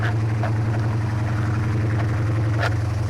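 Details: 1972 Plymouth Roadrunner, 383 V8 with Doug's headers, after a new power steering box install: deep, even idle burble with a steady, fast firing beat and no knocks or misses; healthy.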